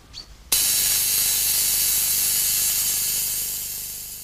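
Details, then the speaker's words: Untuned early spark transmitter, which cannot be tuned. A harsh, hissing crackle over a low steady buzz, slowly fading, is heard across the short, medium and long wavebands because sparks emit chaotic waves of many wavelengths. "You can hear the signal from our spark transmitter all across the short, medium and long wavebands. [buzzing continues] The reason is that sparks create chaotic waves of all sorts of different wavelengths."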